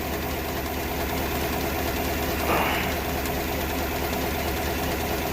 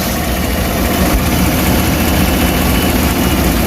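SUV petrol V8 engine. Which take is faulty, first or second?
first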